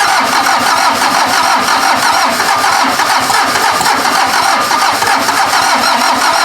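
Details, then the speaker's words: VW diesel (Mazda offroad build): steady fast cranking with a momentary catch, ran about half a second then died; owner thinks it needs more cranking rpm and a proper battery. "it ran for like half a second I'm probably gonna have to buy a juicer you fired and you I need a more rpm"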